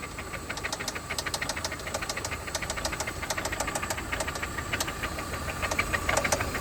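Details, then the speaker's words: 1995 Toyota Camry LE 5S-FE automatic; runs okay briefly then sharp metallic knocks about three per second hammer over the idle; serious internal engine knock, cause unconfirmed pending teardown. "It's wild how it'll sound okay for a second and then it just starts knocking. My goodness, that sounds just terrible."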